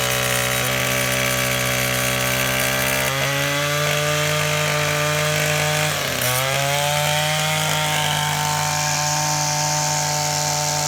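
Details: Old, worn Echo SRM-225 trimmer with replacement eBay carburetor, run without air filter, owner suspects low compression: high even two-stroke buzz, one brief dip and recovery around six seconds; runs cleanly.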